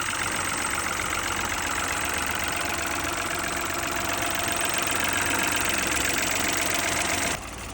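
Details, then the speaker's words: Peugeot 2008 three-cylinder after wet belt replacement for oil pressure warning fault, no oil pressure light now: smooth, constant idle hum, no knocking or rattle until switched off; normal idle. "Let's have a little listen to the engine. Let's have a walk round. Sounds really good, to be fair."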